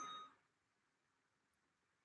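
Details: DJI Ronin-S gimbal powering on via battery-pack and side power buttons: short bright two-tone chime, then quiet, another chime starting at the end; normal power-up.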